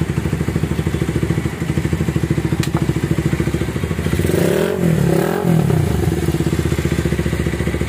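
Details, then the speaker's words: Minerva R150 X-Rod motorcycle after replacing the piston, previously noisy with white smoke: even, regular firing pulses at idle with a short smooth blip, no clatter or knock, now soft and quiet; normal idle. "Sekarang udah lembut suaranya. Oke. Jengkol ya. Suaranya adem."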